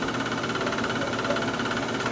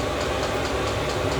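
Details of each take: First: Chinese diesel heater on startup after sitting 8–9 months, going through priming cycles: steady high-pitched whir with rough gritty rattle; worn blower motor ball bearings, noisy and needed replacing. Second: Chinese diesel heater after replacing noisy worn fan ball bearings, warming up from about 62°F ambient to over 85°F output; steady, even whir with a soft combustion rumble, no fan scraping or rattling, sounds much better. Normal running.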